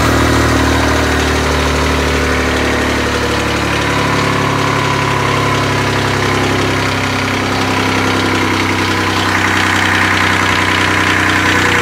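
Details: Kubota D600 diesel swapped into a Case 220 hydraulic-drive mower tractor (16.5 hp), running and driving, warm: steady, even idle with a smooth low beat and no knocks or misses; normal idle.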